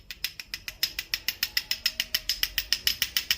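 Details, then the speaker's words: CG-type pushrod motorcycle engine: sharp metallic ticking, about 3.5 clicks a second with a bright tinny ring; camshaft gear teeth deformed from poor manufacture or wear so the gears don't mesh evenly. "eso altas revoluciones y dentro del motor trabajando con calor es un ruido bastante feo un ruido metálico bastante feo que incluso a veces se vuelve insoportable"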